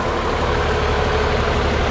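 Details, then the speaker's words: 1961 Ford Falcon six-cylinder, warm, after points, timing, plug gap set, valves lashed at 0.018 in cold, carburetor rebuilt: idles smooth and even, no misses, no rocker tick over steady low hum; healthy. "purrs like a kitten I mean it just runs very smooth now and with the valve lash being set where it's at you would think that this thing would have a noisy you know rocker arms but it doesn't"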